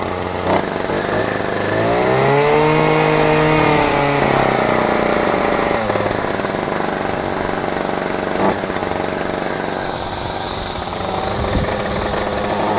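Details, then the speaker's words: Discarded Champion string trimmer two-stroke with choke missing, primed with fuel: buzzes and revs up briefly, then sags and struggles as if starving and dies; won't keep running without its choke. "And it's about to die. What in the world is going on? Right. Well, as I said before, without a choke, I can't start this without priming it with some fuel."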